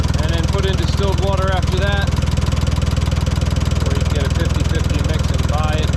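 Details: 1968 Ford 4000 diesel tractor after water pump repair, refilled with 50/50 antifreeze, idling to warm up toward about 180 degrees so the thermostat opens: slow, even chug at about four beats a second, no misses or knocks; normal idle.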